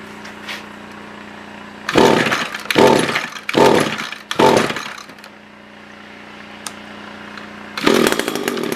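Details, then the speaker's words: SRM-210 trimmer after repair (new carb, fuel filter, plug, fresh gas, handle), tank refilled: four crisp throttle blips returning cleanly to smooth steady idle; normal idle and revving. "so yeah i think this should be it runs good new filter new plug new gas new carve a new handle"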